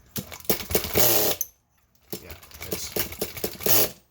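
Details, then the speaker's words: Nitro RC car glow engine, over-primed: short, irregular bursts of buzzy cranking with no catch. Flooded engine that won't start; the fix is to remove the glow plug. "your engines flooded it all over primed so let me pause for a second"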